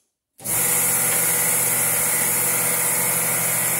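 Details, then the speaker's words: Harvest Right freeze dryer vacuum pump pulling down the chamber to vacuum-seal mylar bags: starts abruptly into a loud, steady, even roar with a bright hiss; normal vacuum pump pull-down. "And when the pump quietens off, that usually tells me it's got a good strong vacuum."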